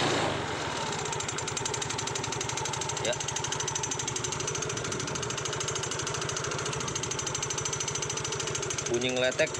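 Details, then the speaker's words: Yamaha Mio GT scooter, engine idling: fast, steady metallic clatter from the rear CVT gearbox; worn variator rollers and loose slide pieces rattling. "Nah kalau motor temen-temen mengalami trouble bunyi kasar ngeletek seperti ini kemudian tanjakan kadang nggak kuat itu biasanya ada beberapa f"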